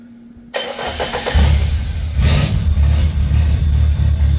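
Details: Handmade helicopter engine on its final test after a new injector and an oxygen sensor were welded in and wired: catches quickly and settles into a steady, even low idle with no misses or knocks; healthy.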